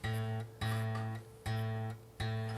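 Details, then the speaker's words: 1953 Gibson Les Paul Standard: low string plucked four times, each note with faint metallic buzz from loose bridge saddles vibrating; fix is tightening saddles. "you have the note that the string is tuned to but then you have this other note which is the bridge buzzing back and forth and it just doesn't you know it just gets in the way it doesn't sound good"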